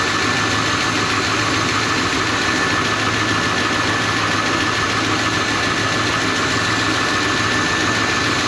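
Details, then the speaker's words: 1985 Suburban K20 V8 warmed up at idle: fast light ticking riding on top, steady with engine speed; source not pinned down, owner hopes not internal, says it almost sounds like exhaust or exhaust contact, unconfirmed. "really really hoping that's not pump it inside the motor there we go now it's warmed up I only a bit lower definitely hear a wicked ticking though"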